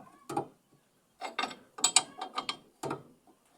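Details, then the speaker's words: Pickup truck suspension: dry crackling clicks in short bursts as the loose stabilizer link (bieleta) ball joint is flexed; the truck bangs and creaks when the steering wheel is turned, traced to the worn link. "estrala muito gente faz um barulho danado ó esse barulho nunca acaba dentro de baixo dela e vou tirar ela aqui ó essa bieleta ela ajuda a estabilizar tá"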